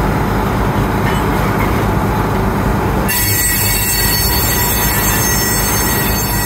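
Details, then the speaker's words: Loaded coal train cars passing through a curve: a heavy rumble, then a piercing, steady high squeal. Each wheel sounds different because their flange and tread profiles differ. "You notice uh different wheels have different sounds as they negotiate through a curve. That's because of the differences in the profile of each wheel. No two wheels are exactly the same profile."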